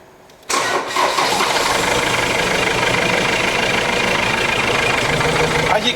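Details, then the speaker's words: Ford Transit diesel, hard to start and missing badly: catches after brief crank into shaky uneven lumpy idle with no power; rough misfire, injectors suspected, before leak-off test. "can see, it's really, really shaky. There's no power and it's just not running very nicely."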